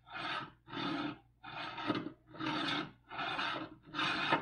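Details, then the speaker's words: Creality UW-02 wash and cure station running with water in the wash bucket: harsh rasping bursts about every three quarters of a second with quiet gaps; sounds like a loose stepper motor. "now that sounds broken"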